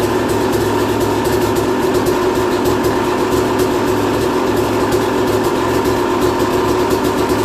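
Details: 2001 Yamaha YZ250, first start after new top end, jets and service (earlier compression only 100 psi): crisp, even two-stroke note holding steady with no misses, rattles or bogging; healthy.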